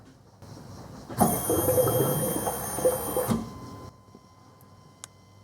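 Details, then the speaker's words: Chevy/GMC 5.7L Vortec truck after fuel pump replacement, key-on test with quarter tank: pump whirs steadily about two seconds then shuts off, normal priming once a bad ground was fixed; later pressure test points to a clogged fuel filter. "all right i hear the pump gurgling do that a couple more times just didn't have a good ground"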